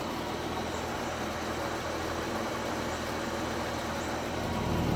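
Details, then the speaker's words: Barn-find 1971 Chevelle, straight six with a three-speed column shift, hood open: steady, even low idle with a smooth, unbroken rumble and no knocking or ticking; it sounds healthy. "straight six three speed on the column"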